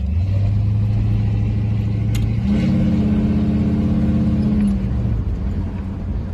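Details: Car on cheap Temu knock-off Flowmaster two-chamber mufflers, replacing 15–20-year-old Flowmaster 40 series: on the drive-by, a deep, even exhaust note rises and fades, with no rattle or buzz. It sounds the same as before, just without the rattle; normal.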